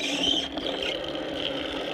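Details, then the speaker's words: DIY DC-powered deep well hand pump: 24-volt motor on 12 volts driving a fiberglass sucker rod via #50 chain, steady whir with light scraping chain clatter at an even slow pace, running about half speed. "that's a 24 volt motor and we're running on 12 so it only runs about half speed"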